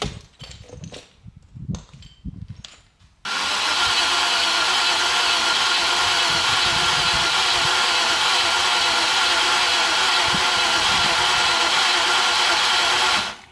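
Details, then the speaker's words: 1990 Range Rover Classic stored in a barn over 10 years, after refitting fuel tank and lines: about ten seconds of steady cranking that never catches; owner suspects tank breather or vacuum/pressure issue. "it's very very close I as you heard I cranked it I cranked and cranked it um but it didn't fire up"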